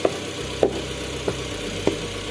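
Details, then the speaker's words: Mitsubishi Xpander Cross 4-cylinder engine idling after its four spark plugs were cleaned and refitted: steady idle with soft regular pulse about twice a second, no hunting; running normally. "pastikan mesin itu tidak atau berjalan dengan normal, tidak ada gejala apapun, dan berarti pemasangan businya pun sudah selesai ya dan berhasil ya."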